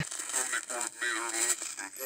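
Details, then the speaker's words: Heathkit GR-81 three-tube regenerative receiver on 80-meter SSB: voice comes through warbling, choppy and distorted, unintelligible, with regeneration set too low before turning it up. "here i am at some 80 meter ssb and you can't hear it because it's all glitchy and distorted"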